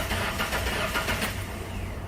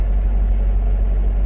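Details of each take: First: Ford Ranger with a misfire, coils disconnected for a cranking listen test: steady, even starter cranking with uniform compression pulses, no uneven beats, pointing away from a mechanical fault; spark later confirmed good. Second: Ford Ranger brought in for not running right, started for a first listen. Low, uneven, rough idle with an irregular stumble in the firing beat, one cylinder dropping out. Definite misfire, cause not yet diagnosed.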